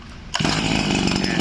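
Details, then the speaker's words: Tanaka CB20HT 20cc two-stroke brush cutter, used Japanese import, auto choke: catches on the pull and settles into an even, buzzy idle without stumbling; starts easily, normal start and idle. "ติดง่ายเห็นไหมฟังเสียงครับ"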